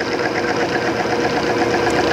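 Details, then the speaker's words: Timken OK load test machine with 10W-30 oil and STM-3 additive, just after seizing under added weights, weights removed: steady dense mechanical rush with faint even ticking, grinding fading; contact settling and running smoothly again. "take the weights off let it heal it's going to grind it's going to grind let's hear if it quiet step oh it's starting to quiet Bend"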